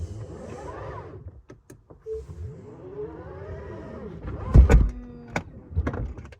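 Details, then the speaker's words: 2022 Tesla Model X falcon wing door after panel adjustment under warranty: motor whirs smoothly, then firm latch clunks; the former squishing noise is gone and the door closes normally. "so even when the door closes now check this out [Music] it doesn't do that sound where it's just like squishing something like it feels like this is all getting squished"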